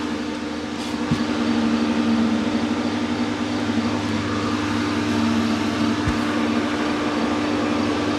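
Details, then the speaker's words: 1985 Merkur XR4Ti after upper intake reassembly; the radiator fan comes on at start-up (no AC belt fitted); steady motor hum at an even pitch over the idling engine with no rattles or scraping; fan spinning normally. "well that's cool I had the fan turn on let me get this thing started a second"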